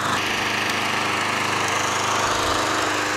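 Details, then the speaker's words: Craftsman 20" mulcher push mower engine, single-cylinder, after mowing; it smoked for two to three minutes, judged to be excess oil from hydrolock in the muffler burning off, then stopped smoking. Steady even buzz with no misses or surging; runs well. "means that the smoke was only from the excess hydrolock with some oil in the muffler after that burned away no longer smokes that actually runs pretty good"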